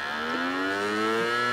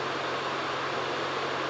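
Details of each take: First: Samsung CD Master 52X (SE152L) CD drive: rising whine climbing steadily in pitch as the disc spins up, loud and slightly rough; noisy spin-up, cause unclear. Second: Old Sony DW-Q30A 5.25-inch IDE DVD-RW drive, on USB to a netbook, reading an Office 2003 CD: steady whir with soft low hum and even hiss, no clicking or grinding; spins up and reads normally despite a belt known to have gone bad.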